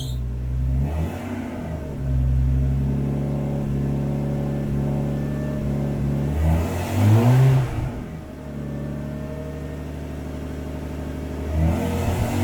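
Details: Nissan S14 RB20 cold after swapping in an RB25 turbo: deep idle with a lumpy cold edge from the idle air control valve, then clean free throttle blips; the earlier exhaust chatter is gone.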